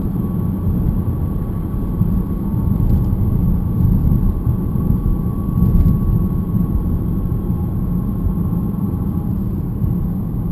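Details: BMW E90 318 while driving: a faint, steady metallic whine above the road rumble, said to be much louder in person. The seller had just replaced the brake pads; the differential is blamed. Suspected, not confirmed.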